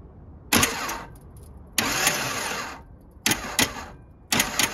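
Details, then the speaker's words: 1978 Datsun 280Z, L28 inline six converted to carburetor, newly custom-wired starter circuit, no spark plugs fitted: four short bursts of fast light free-spinning starter whir, no grinding or clunks. Starter cranking normally, worked first time. "so you see how simple the starter motor circuit is when we flick that button it worked the first time and it worked perfect"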